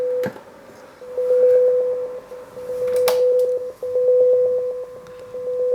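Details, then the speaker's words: Boss PH-3 phase shifter pedal after repair using an earlier unit's spare parts: steady tone pulsing evenly a few times a second with a sweeping swirl, effect now working after tracing op-amp signals and adjusting controls; earlier distortion came from a resonance control setting. "do you hear that it's working so after going back and forth with the old pedal uh getting confused about some signals going in and out of op-amps and then just going back to it and fiddling with the controls it's running"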